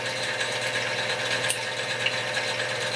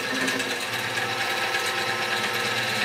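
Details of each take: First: X2 mini-mill (CX605) gear train after repositioning the motor, redistributing grease and fitting O-ring rubber washers to damp vibration: even high-pitched whir with faint fine ticking, no harsh grind or clatter; smooth, quiet gear mesh. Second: X2 mini-mill (CX605) gear noise: busy rattly whir with uneven chatter over the motor hum from poor gear mesh.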